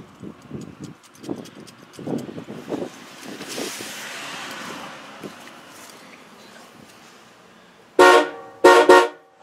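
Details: Chevy truck fitted with newly installed junkyard Cadillac horns on new painted brackets, test honk: a few short, loud, clear blasts with full steady tone; horns work normally.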